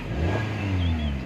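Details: 2017 Kia Picanto with no-crank no-start, after a connector was plugged back in and tightened and started in one click: smooth rev rises and eases back, steady low drone, no knocks or misses; engine running normally.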